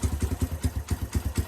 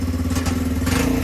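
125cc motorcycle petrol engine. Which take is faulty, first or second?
first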